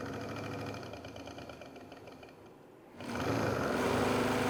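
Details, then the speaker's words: Rebuilt 1982–84 Sportster Hitachi 65B generator spun on a bench test: steady whir with a regular tick about four times a second, louder as speed builds. Full output of about 12–14 V and 13–14 A, yet the noise is unexplained. "not sure why it's making that noise but full output just like the other ones"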